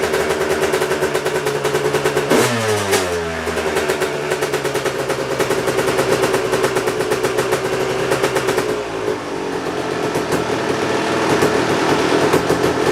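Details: Kawasaki KX250 two-stroke pulled out of ten-plus months of storage, running fresh gas mixed 32:1: crisp bark that revs up cleanly, drops back and keeps running steadily without bogging; normal two-stroke running.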